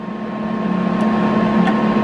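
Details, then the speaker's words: Eastwood MIG 175 welder, about a year old, with inconsistent welds since early on: steady hum, two faint relay clicks about a second apart, wire feed rollers not moving; tech support suspects the internal board is dead. "according to the tech support I think that the board is shot on the inside of the welder"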